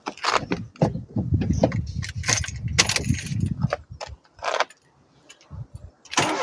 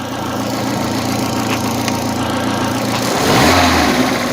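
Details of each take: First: Opel Corsa 1.4i Utility after reconnecting the battery, testing a replacement idle air valve: cranks and settles into a fast, steady high idle that stays up, expected to stabilize near 800 rpm after restart. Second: Opel Corsa 1.4i Utility, about 93,900 km, after restart with new Topran idle air control valve: even, steady petrol idle with a smooth low drone and a brief throttle blip near the end; idle control holding speed. Normal idle.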